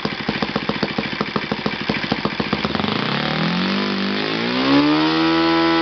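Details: Yamada (Futaba) YS-F120 four-stroke 120-size model engine on test stand after total rebuild (combustion chamber buildup, piston and ring problems), Yamada No.4 glow plug: even popping idle about three to four beats a second, revs climb smoothly to steady high buzz; normal running.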